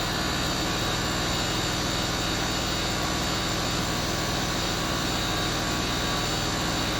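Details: Land Rover Discovery 3, newly fitted air suspension compressor, off-road mode, tank now full so rising faster: steady buzzing hum with constant hiss, no dropouts; normal compressor running.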